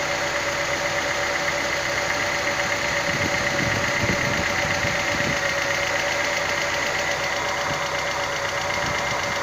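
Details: Engine at idle: fast, light ticking about four per second over the idle; hydraulic lifter (lash adjuster) tick.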